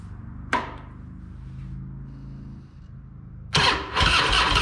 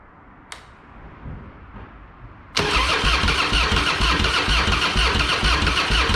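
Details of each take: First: Harley-Davidson Fat Boy that sat for years, after a new diaphragm fuel valve: quiet cranking, then the V-twin catches abruptly and settles into a loud, lumpy but steady run; normal start. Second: Harley-Davidson Fatboy with Screaming Eagle kit (new heads, ignition, pipe), sat for years, fresh high-octane fuel, Mobil 1 20W50, battery tended overnight: quiet cranking, then V-twin fires into loud even lumpy idle once fuel valve is turned on.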